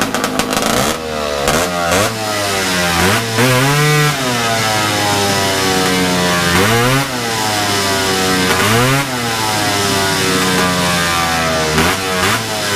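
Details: Big-bore stroker 277 two-stroke snowmobile engine in a freezing garage, first full-throttle runs after a PTO-side seal fix: wails up but flattens short of the top, about 8800 rpm, roughly 700 under target for this pipe; clutch setup suspected.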